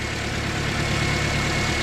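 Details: Toyota Corolla with a new alternator, reading about 14–15 V with the battery disconnected and reconnected. Smooth, steady idle with an even low rumble and faint constant whine, no ticks: charging normally.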